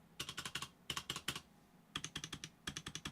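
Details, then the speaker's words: Cooler Master mechanical keyboard space bar with PBT keycaps: quick bursts of sharp, clattery strikes with a tinny ring, rattling heavily. "it rattles a lot just like the Corsair k70 k95 premium or GBL that's what they rattle like to like crazy listen to that"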